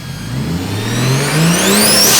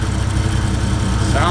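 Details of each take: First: 1JZ VVTi swap, first start-up, used turbo taken from another car: high whistling whine rising and falling with revs, louder than it should be despite no shaft play and good oil; cause unknown. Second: Toyota 1JZ VVT-i swap on its first start-up, idling: a steady, even thrum with a faint buzz on top from the power steering pump; the engine and exhaust are quiet and smooth, and it sounds really good.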